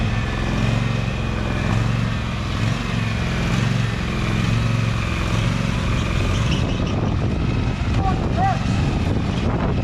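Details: Husqvarna 2346XLS hydrostatic lawn tractor after rust-bound brake and gas pedals were freed with lubricant: steady low drone holding even through forward and reverse travel, no surging or stalling; normal running.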